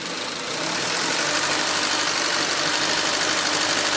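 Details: 2004 Honda Civic LX (7th gen), warm engine: low, uneven idle with a loping, unsteady beat and faint shake; rough idle, RPMs sag and it sometimes stalls in traffic; O2 sensor suspected, IAC valve also suggested, unconfirmed.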